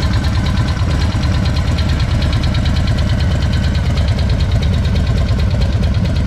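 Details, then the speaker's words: 2020 Harley-Davidson Low Rider S Milwaukee 8: loud fast metallic ticking over a lumpy V-twin idle. "We're going to be talking about the ticking sound. Yeah, that ticking sound."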